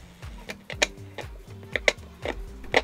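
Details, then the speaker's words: Philips DR454 2-in-1 tape recorder, radio tested before opening: irregular sharp crackles and scratchy bursts over faint, very low-volume sound; scratch in the band, reception or tuning crackle fault, low volume. "Band में scratch आ रहा है दोस्तों थोड़ा-थोड़ा। ये आ गया थोड़ा सा आ गया। आवाज बहुत कम है दोस्तों।"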